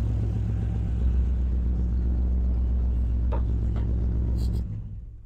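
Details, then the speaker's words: GMC Squarebody truck with an LS engine after a Holley Terminator X swap: lumpy, loping idle before shutoff; one whole bank is not firing because the bolt on the ground wire to the back of the cylinder was loose. "that whole side is not firing something ain't right somewhere that whole side is not firing could it be a bad ground nothing on that side is firing"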